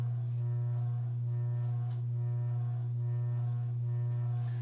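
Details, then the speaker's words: Circa-1985 Evergo 4E-6EALW 52-inch hugger ceiling fan, cast-iron motor, on low speed in updraft (reverse); steady low hum under music, persistent motor drone, likely from rotted-away rubber bushings; bearings make slight noise, barely audible next to the vibration. "unfortunately the motorhome still is rather persistent as well [Music] the bearings on the fan do make a little bit of noise but hasn't but you can barely hear them versus the vibration"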